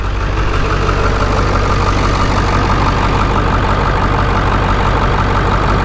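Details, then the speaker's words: Ford 7.3 Powerstroke diesel, cut exhaust: deep, steady idle with even clatter, no misses or surging, no shake; example of how it should sound. Normal diesel idle. "here's another example of what these sound like when they're running proper starts up perfect no shake so what they're supposed to sound like this has the same exact cut exhaust it's cut in the same spot they're supposed to sound like"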